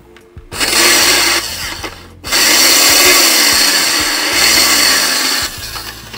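A harsh, high-pitched whir rises in bursts as the motor spins up and sounds rough and strained, but the cause isn't confirmed. Cause suspected, not confirmed.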